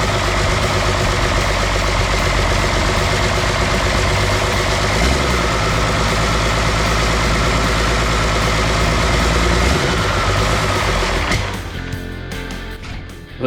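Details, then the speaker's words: Cummins 6BT diesel newly fitted with 4L80E and Nissan transfer case in a GU Patrol, first run after priming oil pump: even, steady clatter about four beats a second, no knocks or misses, then winds down; runs fine, injector return banjo thread stripped. "it guys i'll put on a bit of a smoke show here the engine runs it's all good"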